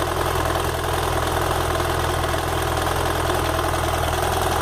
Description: Escuto uns tec tec no motor quando ele está quente e quando a moto está pendida sobre o pezinho lateral. Quando acelero os tec tec param.